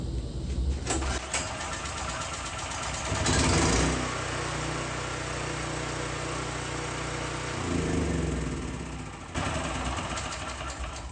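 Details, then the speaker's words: Cheap used generator, 38 hours on it, after cleaning on/off switch contacts, unused about a week, choke on: starts first pull and settles into steady even drone without stalling; earlier it would start then shut off. "There we go, first pull. And like I said, I ran that thing 20 minutes, because before it would start and then it would shut off."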